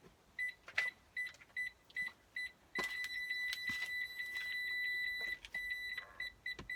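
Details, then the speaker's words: Citroen C1 with a newly installed DIY reversing sensor kit, in reverse with the owner sat next to the car. Short high beeps a few times a second merging into a continuous tone as the obstacle nears; sensors working normally. "oh yeah so as you can hear now the detectors are picking me up sat right next to the car the lights on you can hear the beeping it's all good"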